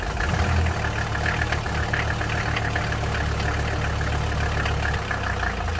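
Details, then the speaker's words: 1983 Mercedes-Benz 300TD W123 wagon, OM617 diesel at idle: clatter with heavy wavering low throb, rough vibrating idle and hard cold starting; owner suspects injection and cam timing are off, valve adjustment planned. "with how this thing kind of vibrates at idle and how it's hard cold starting even when it's warm out uh I'm going to say that this is part of our issue"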